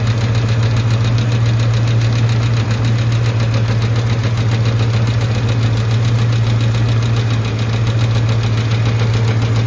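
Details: Engine ticking at idle with a deep hum and fast, fairly even tick, three or four a second; ticking slows as the oil warms, oil pressure good, heard on take-off and stopping; owner suspects oil or the power steering pulley.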